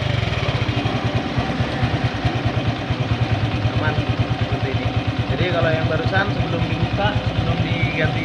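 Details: Honda Revo engine after replacing the camshaft bearing that caused a crackling, broken-engine-like noise and resetting top-dead-centre timing: steady, even low putter at idle with regular firing pulses, no crackle or knock; healthy idle.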